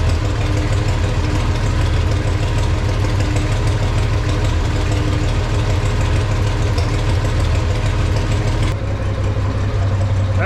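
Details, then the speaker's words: Farmall 460 tractor idling after points gap adjusted slightly closer, believed to advance timing slightly; charging gauge barely moves, generator or voltage regulator suspected; steady even low idle, smooth beat, no knocks or misses, normal idle. "really sounds good. We got to figure out something."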